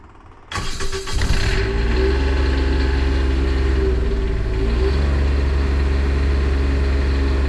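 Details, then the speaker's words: Onan Quietdiesel 7500 generator in a 2000 Holiday Rambler Endeavor, 2400 run hours, after removal, full service and reinstall, off shore power: cranks briefly, catches within a second, settles into steady even drone, no knocks, quieter than before; normal start and idle. "Well, it runs, and it definitely seems quieter than it was before."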